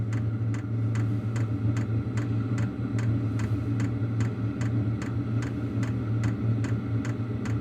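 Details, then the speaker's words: Wippro 8 kW diesel heater in a shop bus, raised to level 3 of 10: steady fuel pump ticks about twice a second, getting faster, over a soft even rumble that seems to go away; healthy, giving good heat. "so so you hear the fuel pump clicks get a little faster and I don't know if you'll be able to hear that vibration but it does sound like it goes"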